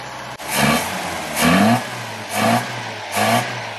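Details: Very early 1969 Ford Capri MK1 barn find revived after many years: steady low idle broken by four quick, clean throttle blips rising and falling evenly; engine sounds healthy and responsive.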